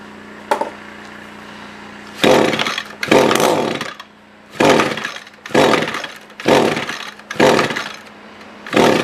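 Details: SRM-210 trimmer after carb replacement, during main/idle screw adjustment: revs flare in short bursts about once a second, then sag and stumble; owner thinks fuel level is below the fuel filter, causing fuel starvation.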